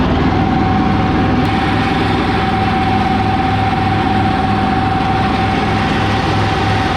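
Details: 1985 Kubota T1600 diesel garden tractor, 290 hours, test drive after transaxle and deck repairs: steady even twin-cylinder diesel chug, no knocks, misses or hunting; normal diesel idle, engine runs flawlessly.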